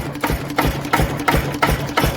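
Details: Lister CS single-cylinder stationary diesel, first start in years, back on high compression: slow, even crisp thump about twice a second; normal running.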